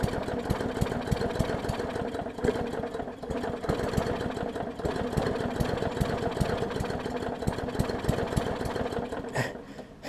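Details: 2014 Bolens push mower with Briggs OHV engine, missing carburettor jet ball plug and leaky needle and seat; very flooded, uneven lumpy chugging with surging loudness as it burns off excess fuel; carburettor running far too rich.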